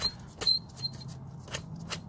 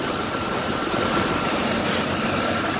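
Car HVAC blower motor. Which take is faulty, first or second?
first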